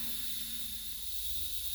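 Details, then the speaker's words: Simplex engine restoration run on compressed air: steady high hiss of air escaping, from a thin paper gasket failing and blowdown valve; needs new gasket. "now there is a bit of a concern I can hear air escaping there's air escaping around there so that needs a new gasket"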